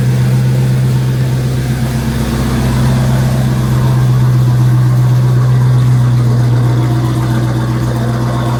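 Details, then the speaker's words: Dodge Hellcat after tearing down to fix a rough idle misfire without codes, jump-started from a dead battery: deep steady idle burble with even beat and no shake; normal idle. "well she's not shaking so I think we're good"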